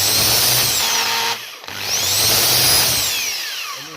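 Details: Gartner electric chainsaw motor whining up and coasting down with harsh rough hum; disassembly found armature bearing practically disintegrated. Failed armature bearing growl.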